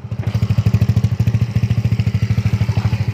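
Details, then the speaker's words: Neglected, unused Yamaha Nouvo Z scooter, kick-started because electric start fails and hard to start, idling: fast chattering clatter riding each firing pulse from inside the engine, not the exhaust; worn internals, cause unclear, runs but uses much fuel. "Ini kayak mesinnya tuh berisik ngericik gitu-gitulah nih."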